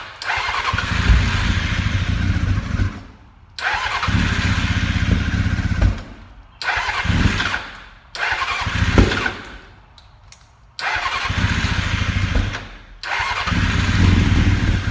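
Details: 2000 Honda F4 motorcycle run without fuel tank on carb fuel only; four-cylinder answers repeated short throttle blips cleanly, no knock or rattle; carbs, ECU, coils, harness, cluster all work as they should.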